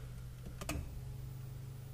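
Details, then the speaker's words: 1990-93 NA Miata 1.6 after SpeedyEFI (Speeduino) kit replacing stock ECU, MAP port plugged in, garage door closed: key-on click then faint steady buzz; fuel pump priming normally, owner doubts it will start. "okay i can hear the fuel pump let's see if it i don't think it's going to start but i don't know"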